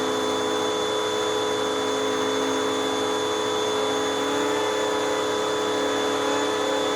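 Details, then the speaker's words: Hoover WindTunnel 2 High-Capacity Pet bagless vacuum from 2013, bearings greased and brush roll bearings recently fixed, much quieter than before: smooth, even motor whir with steady pitch, no grinding or rattle from the brush roll; healthy. "in fact i even just recently fixed up the brush roll bearings in this machine and oh it sounds nice it's it's much quieter than what it was and this machine is just from 2013."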